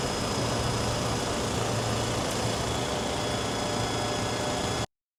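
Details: 1997 Toyota 4Runner after epoxying the failed aftermarket gasket into place: smooth, even idle with no whistle or hiss from the intake; leak sealed and running right.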